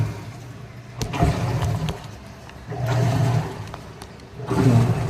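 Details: Washing machine after repair for weak rotation, new belt fitted, gearbox fault identified: strong even motor surges about every 1.5 s with no labouring or slipping; normal agitation.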